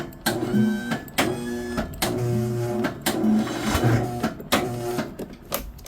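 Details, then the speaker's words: Cub Cadet XT1 Enduro riding mower with a weak battery on a charger: short bursts of starter whine from the rear, engine barely cranking and never starting; hard starting all last year. Suspected starter solenoid, possibly starter or wiring. "it's struggling. It's hurting. You hear some whining coming from the rear. You hear it turn over a tiny bit once in a while."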